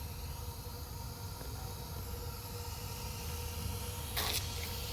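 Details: Newly installed gas water heater, first light after pilot lit via igniter: quiet room hum, then a short soft whoosh as the main burner lights and settles into a steady gas hiss; normal burner ignition.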